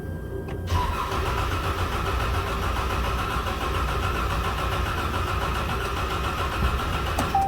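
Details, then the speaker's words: 2013 Ram 1500 4x4 3.6L with check engine light and cylinder 5 misfire code, cranking in clear flood mode: uneven compression cadence, one cylinder seemingly weak; failing cam follower or lobe on cylinder 5 suspected. "I'm gonna crank this thing so we can hear the Cadence of the engine while it's cranking clear flood mode"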